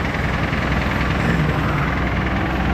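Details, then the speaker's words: 1986 Jeep CJ7 drilling rig at idle, with a broken front exhaust stud: a faint, steady light knock rides on the low engine rumble. First thought to be a lifter, then suspected to be a slight rod knock. Unconfirmed. "I'm hearing a little bit of engine noise yeah it sounds like say a lifter what no that's uh sounds like a little rod knock"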